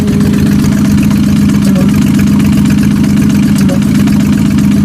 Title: Mustang Rod Knock or Exhaust leak